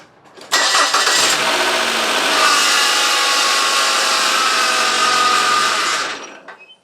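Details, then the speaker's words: 2001 Nissan Altima, cold engine after water pump replacement, serpentine belt removed: harsh hissy clatter persists with accessories disconnected; seems internal, source unpinpointed; water pump swap did not cure it. "it does sometimes feel like it's an internal engine noise and it's very it's it's just the sort of pitch and and and uh frequency that you can't really pinpoint exactly where it is it's just a very pervasive noise"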